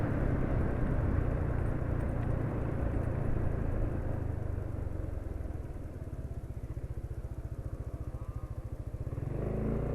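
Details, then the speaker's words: Motorcycle with one engine-mounting hinge blocked, oil at 450 km: even, steady thumping idle about three to four beats a second, no knocks or rattles, smooth; normal idle. "Nah, itu menurut penulis halus ya. Jadi kalau ada yang nakut-nakutin getar, bikin tangan kesemutan, enggak, penulis enggak merasakan itu."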